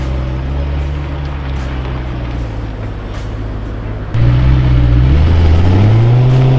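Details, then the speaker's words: Rebuilt BMW E92 M3 with DCT dual-clutch gearbox on test drive after rebuild, no warning lights: deep steady drone, then load increase with smoothly climbing note and quick clean shifts, no knocks or slips; normal acceleration. "Everything's put back together, no warning lights on the dash, and it runs real smooth and it drives even better."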